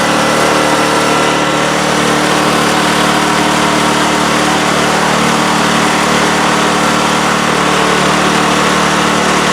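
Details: Craftsman snowblower after realigning the misaligned shift rod, run through the gears: small single-cylinder engine holds a steady, busy drone with no knocks or grinding; normal running.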